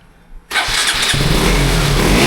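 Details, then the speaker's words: 2012 KTM 200 Duke, European-made, refitted after a crash damaged the forks, starting after two months, with switch problems: silence, then the starter catches and the single fires at once into a clean steady idle with slight blip; healthy start. "ಅಂತೂ ಇಂತೂ ನಮ್ಮ beast ಗಾಡಿ start ಆಯಿತು."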